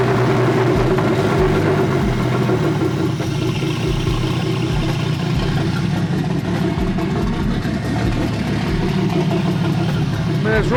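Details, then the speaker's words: Turbo S52-swapped BMW E30 running on old gas/E85 with open downpipes and no exhaust, after a suspected bad ECU-to-engine-harness connection: loud, uneven loping idle with stumbles; rough running, cause unconfirmed. "running rough it shoots we should still run but it's not ready"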